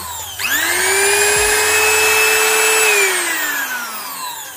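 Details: Trimmer/router (profile machine) that had been cutting out suddenly, after checking wiring, on/off switch and fitting carbon brushes: motor whirs up to a clean steady high whine, holds evenly, winds down smoothly on switch-off; running normally after repair.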